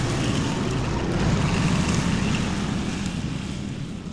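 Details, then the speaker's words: 1979 John Deere Model 68 riding mower, five-speed, running again after years, cover removed and burning oil: busy single-cylinder chug about four beats a second, steady under cutting load with some rattle; runs fine. "It's not horrible. I ended up having to uh remove the uh cover. And things are burning up with oil, but it's fine. Um Yeah, for being a junk old mower, it cuts pretty good."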